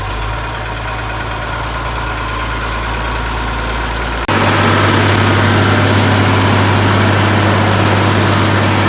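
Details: 1972 Massey Ferguson 1100 diesel tractor, 94 hp, long abandoned, started with starting fluid; steady, even diesel clatter settling into a firm idle with regular beat; normal diesel idle.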